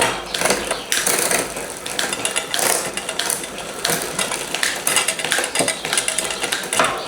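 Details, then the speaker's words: Bicycle on a workshop stand after adding front derailleur cable tension: freewheel ticking with crisp clicks at each change, no grinding, much quieter shifting down than before. "Go back down on the up one. That's much quieter coming down now."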